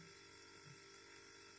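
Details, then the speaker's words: Refrigerator compressor (motor section) running with its normal steady hum; the rattle stopped because the loose defrost water tray is being held by hand. "Sadece motorun sesini duyuyorsunuz. Tas oynadığım için ses de kesildi şu an."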